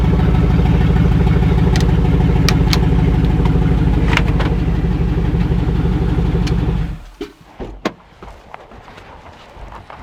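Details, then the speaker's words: LS V8-swapped rear-wheel-drive Celica GT-SS on its first start in the car: deep, even V8 burble for about seven seconds, then it shuts off cleanly; no oil leaks, smoke or fire, healthy. "a success it's alive it moved no trails oil no smoke no fire yay"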